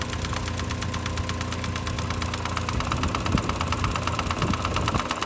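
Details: 2005–2010 Mk5 Jetta 2.5L, sound began about 3,000 miles ago: a fast light ticking, roughly three per second, over idle, heard through a homemade funnel near the timing cover and vacuum pump. Owner suspects the vacuum pump but the source is unconfirmed.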